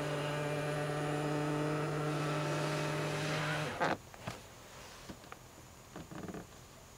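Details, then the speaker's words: New Tesla Model X, middle-row power seat moving to give rear access: steady motor whirr a few seconds, then a sharp pop at end of travel and light clicks, from the seat trim plate sticking and snapping free. "so that scared the out of me the first couple of times when I uh would to access the rear it would make that noise right at the end of the travel and yeah it definitely was pretty loud"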